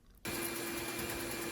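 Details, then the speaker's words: Bandsaw cutting hickory after swapping the coarse-tooth blade, which caught and chattered, for a narrower finer-tooth blade: steady hum and even hiss, still straining slightly but much better. "Okay, that's much better. You almost need a metal cutting blade for this hickory. It's still complaining a little bit, but the finer-tooth blade is definitely better."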